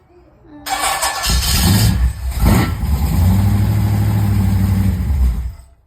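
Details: Engine start attempt: several seconds of cranking with brief catches and surges, never settling into a steady idle before winding down; cranks but won't start, needs fixing.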